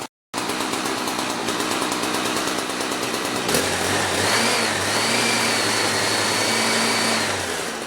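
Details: Small two-stroke equipment being winterized, fuel line shut off to empty the carb: high-pitched buzz holds near full speed, then the note shifts and wavers as it burns the last fuel; running out of fuel.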